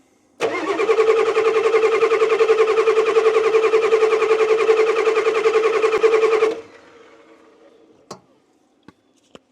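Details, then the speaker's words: 1989 Ford F250 7.3L IDI diesel that sat six years, cold winter day: even cranking for about six seconds with no catch, then it stops. It starts hard because air is still in the fuel lines and it isn't taking fuel. "yeah apparently we ain't getting we still got air in the lines is what's wrong I can't understand why it's not taking fuel"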